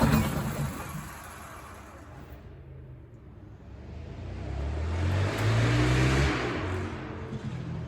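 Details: Detroit 6V92TA diesel in a 1959 Plymouth Belvedere, started unexpectedly while still missing one injector: surges and sags with an uneven, lumpy beat about three times a second, one cylinder dead. Misfire from missing injector.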